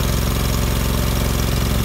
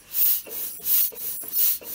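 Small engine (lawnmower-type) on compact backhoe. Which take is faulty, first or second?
second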